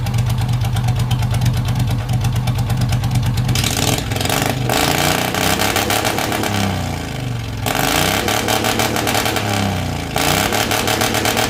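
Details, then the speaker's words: Race mower / hot rod tractor small engine with magneto ignition and a custom relay-and-tach rev limiter, just started on choke: loud steady idle, then sharp blips that climb and fall cleanly without stumbling or rattles; normal running. "Gonna get her cleared out. There she is. Man, it sounds amazing."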